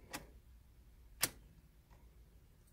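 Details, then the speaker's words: 2000 Honda Accord 5-speed with the clutch fully pressed and the key turned. The fuel pump primes and the dashboard looks normal, but there are only a couple of faint ticks and no crank; the owner diagnoses a failed clutch safety switch. "I'm turning the key but you can hear the fuel pump prime the dashboard zone everything looks good and I turn the key absolutely nothing"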